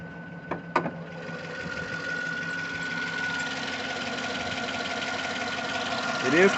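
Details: 2009 Cadillac Escalade on a cold start at idle: light, uneven ticking of about three or four a second over the steady engine hum, likely valvetrain tick from one side.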